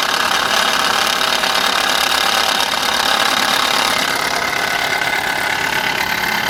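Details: Subaru Impreza G4 at idle with a busy, rattly ticking over the running note, about three beats a second. Abnormal engine noise under repair, cause not stated.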